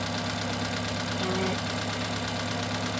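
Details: Engine running at idle during misfire diagnosis while a scope checks the running crankcase pattern: steady, even idle with a constant low hum, no misses or stumbles; pattern shows no anomalies, healthy engine mechanically.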